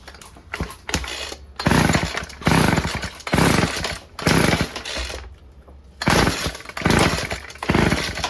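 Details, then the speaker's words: Old Stihl FS36 two-stroke string trimmer (sold as "runs on spray"), tried with choke on and off and fed two-stroke fuel: repeated short pull-cord whirring spins, no firing; cranks but won't start. Plug found fouled, owner suspects it runs rich. "Why don't you want to start now? Absolutely nothing. That is strange."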